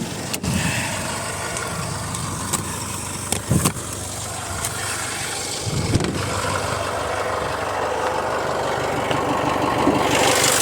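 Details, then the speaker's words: Jaguar F-Pace 204DTD diesel after home rebuild, injector sound deadening cover off: steady idle with loud even injector clatter, no misses or knocks; owner considers it normal, running great. "I think I'll call the video there I'm happy with it all now it's running great uh sounds like a diesel so to be expected I guess"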